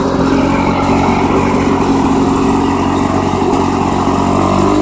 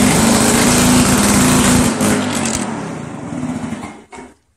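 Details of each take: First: Restored 1991 Lawn Boy L21ZPN two-stroke mower after repaint and muffler replacement: steady, even buzz, pitch lifting slightly partway with no misses or knocks; healthy running. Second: 1991 Lawn Boy L21ZPN two-stroke mower, before muffler replacement: loud, raspy buzz at steady high speed that then fades and stops; much noisier than it should be, owner points to the exhaust gasket.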